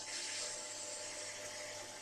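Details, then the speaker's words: Solar-powered pump that runs constantly, pushing rainwater-tank water uphill, with a hose at high pressure: a bright, steady hiss and whirr of water over a small motor hum. Normal running. "We can pump this water up the hill, and there's a pump here, runs all the time."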